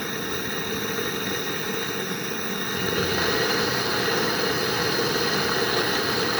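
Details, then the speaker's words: Ryobi small petrol engine with carburettor problems, running steadily: light popping and clicking from a very hot exhaust as old oil burns off, which should reduce smoking. "So you can hear it popping and clicking now. Basically telling us that exhaust is bloody hot."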